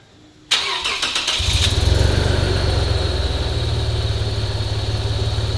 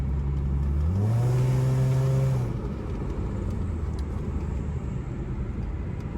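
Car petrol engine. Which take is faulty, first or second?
first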